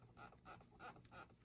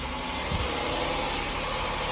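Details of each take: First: 2004 Mitsubishi Galant 3.8L V6 6G75 non-MIVEC, original OEM water pump at 180,000 miles, coolant drained, suspected coolant-loss source: faint high chirping squeak about three times a second under engine hum; worn water pump bearing, pump being replaced. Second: 2004 Mitsubishi Galant 3.8L V6 (6G75 non-MIVEC), after water pump and timing belt replacement: after a couple of clicks the engine settles into a steady, even idle hum with no knock or squeal, running normally.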